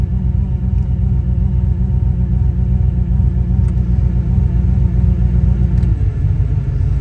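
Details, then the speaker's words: Petrol engine idles steadily after grounding repair fixed U0107 lost communication with throttle actuator control module; with AC switched on, idle note sinks lower and loosens, engine nearly wants to die. Power steering pump whine also present, pump due for replacement. "yeah, look at that, now she wants to die. Well, I mean, it's idling, but it's not like an AC running."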